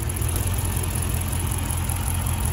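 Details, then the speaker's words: Dodge Charger R/T at idle during a coil-unplugging test: uneven, lumpy idle with a stumble every few turns; coil pack number six confirmed bad. "okay guys so confirmation there that the call pack number six is bad"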